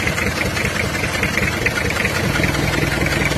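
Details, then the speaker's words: Toyota Kijang diesel idling, rough uneven chuff with "bok bok" puffing heard at the air filter, worse in the morning; compression leaking past the valves, crankcase blow-by; valves to be readjusted and engine overhauled. "Jadi ada suara bekbek di filter udara ini. Kalau pagi biasanya lebih parah suaranya bok bok bok gitu, Guys."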